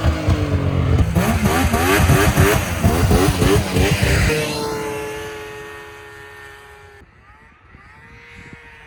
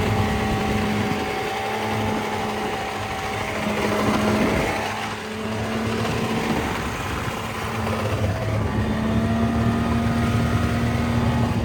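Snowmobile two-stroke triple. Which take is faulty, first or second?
second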